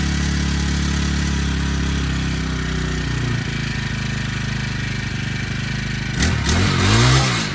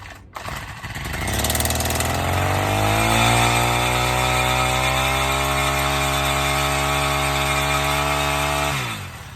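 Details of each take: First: Honda Harmony FG100 small tiller, carburetor fixed after sitting: steady, even putter that revs up cleanly near the end without stumbling or misfiring; normal running. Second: Honda Harmony FG100 tiller, long-sitting, cold start with choke toggled: catches, climbs to a steady buzzing speed, then sags and dies with basically no idle; gas spills when primed; rich running from a stuck carburetor metering diaphragm.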